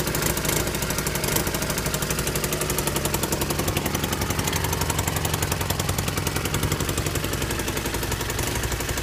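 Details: Honda CM200T after an engine rebuild, third start: sharp rapid ticking and puffing on the idle beat, timed with the exhaust pulses; exhaust leak from bad exhaust gaskets.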